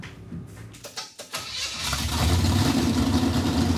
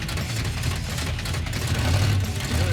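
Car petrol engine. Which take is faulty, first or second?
first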